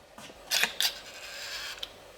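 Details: Land Rover with Tesla Model 3 battery and HV integration, charge flap reinstalled on its motor: two quick motor bursts, a soft latch click, then a short whir; the charge port door actuator now cycles normally.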